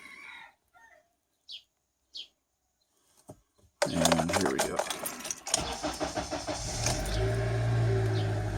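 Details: Honda Element with intermittent dash-cluster clicking, flashing key icon and no-start, worse in cold weather, after shifting the dash to relieve pulled wiring: faint clicks, short crank, then a steady even idle; starts normally.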